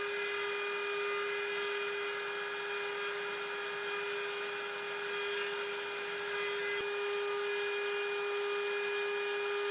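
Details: Genmitsu 3030 PROVer MAX CNC with a Makita 1.25HP router in place of the stock 300W spindle, slotting 6061 aluminum: steady high-pitched cutting tone with no vibration or chatter, and the cut is cleaner.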